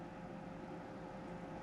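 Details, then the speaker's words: Tektronix type 127 preamplifier power supply under repair, +100 V rail reading high at 113 V: faint steady low hum with a few higher tones; something buzzing under load, cause unclear. "Uh-oh, that doesn't sound good. Something's making a funny noise."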